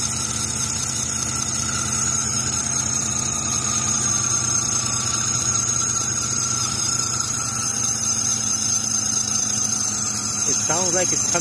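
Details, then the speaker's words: 2006 Chrysler 300 at idle, squeal on cold startups: constant high steady squeal; belt uncracked, alternator pulley rusted, but the noise seems to come from the idler or tensioner pulley, with their bearings suspected; serpentine belt squeal. "Honestly, to me, it sounds like it's either this idler pulley or the tensioner right there. I got a pretty good feeling that if we were to remove that belt, we're gonna find that some of those bearings on t"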